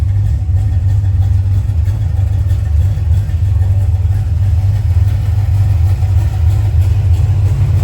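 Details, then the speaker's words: 1990 Ford Mustang GT Fox Body, built 306ci, new FST RT Plus 4-barrel carburetor, warm, idle screw turned up 1/8 turn, air cleaner off: deep, steady V8 burble with a slight lope, no misses or stumbles; healthy idle. "All I did was just bump the idle up 1/8 of a turn on the idle screw. Golly, that sounds good. Sounds awesome."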